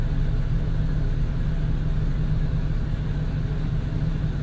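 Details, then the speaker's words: V8 with P0300 and no power, fuel pressure and injectors tested balanced; lumpy, stumbling idle, scan tool misfire counters show misfires on bank one cylinders. "I'm going to check out for engine misfire see if there's any kind of misfire counter that I can view to see where it's coming from"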